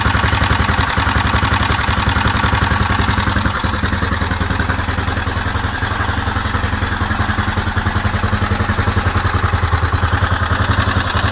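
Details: Suzuki DR750 engine: steady single-cylinder thump at idle with a mechanical clatter on every beat, about three and a half a second; source unclear.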